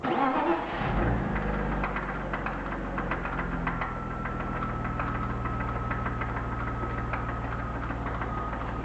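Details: BMW E36 323i, M52B25 engine, 140,000 km: at idle a light repeating tap rides over the running sound after start-up; pulling each ignition coil plug in turn (cylinders 1–6) leaves the knock unchanged, so owner doubts a rod bearing failure.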